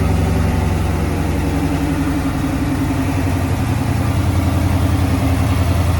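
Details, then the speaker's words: Mustang with a 7.3L V8 idles with a deep, even burble and no misses or surging on its second base tune, smoother with better throttle response than the first tune, which would not restart and stay running when warm. "we i uploaded it and only started at one time but already the idle is smoother the throttle response is better"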